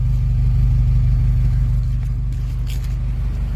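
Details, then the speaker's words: 1997 Toyota Corona, automatic, petrol: even low exhaust drone with a light throttle blip, smooth and soft, no misfire, knock or rattle, no smoke from the exhaust; healthy engine revving normally. "มีเสียงเพราะๆนุ่มๆนะครับอ่าแต่เดี๋ยวนี้ไม่มีควันออกท่อนะครับ"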